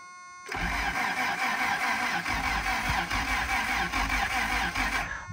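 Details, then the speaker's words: 1977 Honda Civic, last registered in 1987, on a jump pack: even starter churn about 2.5 beats a second turning freely five seconds without firing; cranks but no start, no fuel. "it sounds like it's going to fire right up as soon as I give it some gas let's go get some fuel"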